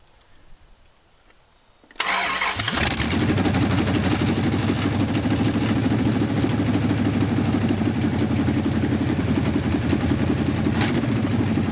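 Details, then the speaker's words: 1969 Dodge Charger, abandoned and crushed, engine already damaged: starter spins the big engine steadily for about ten seconds at an even beat but it never fires because the fuel was not hooked up. "I didn't hook the fuel my bad"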